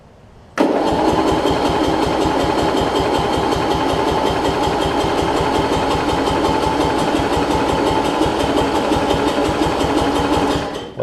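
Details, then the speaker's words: Murray rear-engine rider, transaxle dated January 1992, new battery, ran the day before: steady rapid starter cranking about ten seconds with no firing or catch; cranks but won't start, owner suspects it's hard starting when hot. "I think it really wants to here at trying"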